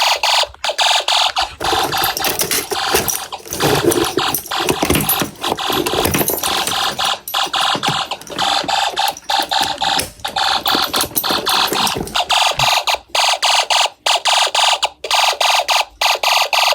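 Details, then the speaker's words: Snap Circuits fire alarm system, test 8, panel just reset and set to turbo speed, pull station activated again: fast, evenly chopped harsh horn bursts with short gaps. The horn is sounding correctly in the turbo pattern. "Do you guys want turbo speed? Okay, fine. I'll try to do turbo speed. I hate doing turbo speed on my fire alarm panel."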